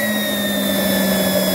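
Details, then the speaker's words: Homemade micro gasifier running extremely hot after secondary steam injected into combustion chamber (possibly too much): loud steady jet-like roar, sustained hum and high whistling; fuel suspected combusting somewhere inside device, unconfirmed; steam then over 400° and solder joint broke. "something's going on inside of there it's like a jet engine effect"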